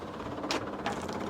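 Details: Added DIY inline fuel pump on a truck, wired directly to a switch by the fuse panel: quiet, steady buzzing hum that switches on and runs evenly, no stutter or grinding; normal fuel pump operation.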